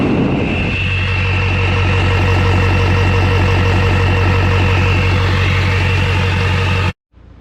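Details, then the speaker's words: LLY Duramax at idle on first start after new turbo, exhaust and intercooler: clean, constant high whistle from the turbo's compressor wheel over a steady diesel idle; turbo spools freely and sounds healthy. "that wicker wheel does have some whistle let me see if you can get down there and hear it"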